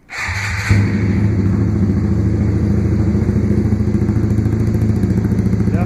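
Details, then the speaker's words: Honda Grom just fitted with a full ARV2 low-mount exhaust, cold start; fires straight up into a loud, deep, steady single-cylinder idle with even thumps, healthy and meant to quiet as it warms up, just louder exhaust. "louder smells like he's gonna let it warm up for a second now the quieter gets warmed up"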